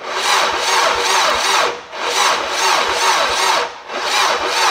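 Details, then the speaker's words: AWD Civic Type R build, first start attempt; sluggish, labored cranking with uneven surges, never catching; about 5 volts lost between battery and starter, owner suspects starter power wire too small. "boys, we are losing like 5 volts somehow from the battery up to the starter, and it should not lose, as"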